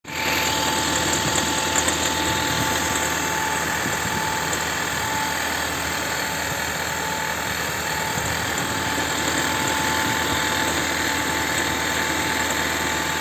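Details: Chevrolet Volt 2 engine with a clean air filter and new spark plugs: a loud, uneven idle with rough knocking about three times a second. It is misfiring and knocking, cause unknown.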